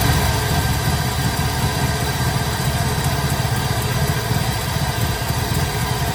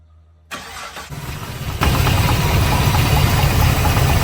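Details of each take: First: 1972 Impala with LS3 swap idling after retightening loose torque converter bolts, two of three found loose: steady deep even V8 burble with the earlier rattle gone, normal idle. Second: 1972 Impala with LS3 swap and automatic transmission cranks and catches, rough idle with faint quick knock/rattle from underneath; loose torque converter bolts, cracked flexplate also considered.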